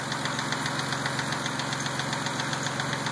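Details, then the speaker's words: Mazda petrol engine idling with a sharp, steady tick at about four beats a second, which appeared after a dealer lifter job and gets louder once warm; it was not there before, and the cause is unknown. "That's what it sounds like after I got the car back from the Mazda dealer. Once it warms up, it gets louder. It wasn't like that before."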